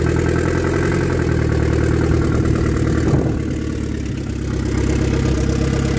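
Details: 1993 Saab 9000 CD, first start after sitting about a year with exhaust removed: deep, loud, raw idle with hard unmuffled pulses, dipping briefly then steadying; loud because exhaust system is off.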